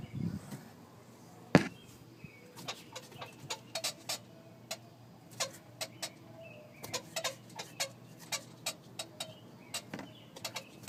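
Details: G35 squeak: short, sharp chirping squeaks at irregular intervals, several per second at times, over a quiet background; the squeak source is not identified.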